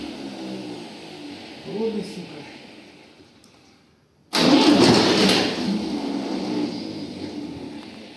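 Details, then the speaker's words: Tractor diesel, first start after engine rebuild; quiet drawn-out attempts, then it bursts into a loud rough clatter as diesel primes through the system; slow first start, starter also worn. "первий запуск бачили конечно не так він сразу і буркнув ну понятне діло що поки там солярка прокачалася"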